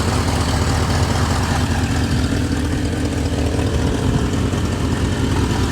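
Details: 1988 Chevrolet Suburban 2500, 5.7 L V8 (owner thinks), first start after six years of storage: loud, deep, uneven idle with a raspy puffing blow from a broken exhaust header leaking.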